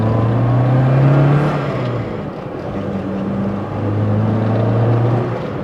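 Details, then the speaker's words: Fiat Panda 4x4 limited edition, with an engine the owner thinks is 965 cc and about 48 hp, revved: the note rises and falls smoothly with throttle, sounding racy and Italian, with no knocks or rattles; a healthy engine. "Once you give it something to live off, it's almost sounding a little bit racy. It's very Italian engine sound."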